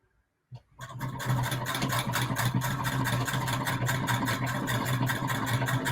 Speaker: i personally really enjoy the sound that she makes